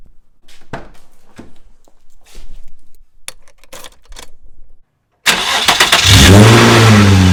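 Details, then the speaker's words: Nissan 350Z after the missing nuts on the test pipe bolts were fitted: the V6 cranks and settles into a steady, deep, even run with no exhaust ticking. The exhaust leak is fixed. "no exhaust leaks bolt check officially done exhaust leak officially fixed car sounds good"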